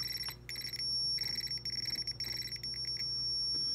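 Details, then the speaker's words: 1980 Atari Missile Command arcade PCB, logic probe on a trackball input line after removing a chip: high chirping tone breaks into quick bursts as the trackball moves, showing activity; the removed chip had been holding the line low and needs replacing. "see like I got activity so what was going on was this chip was just holding it low"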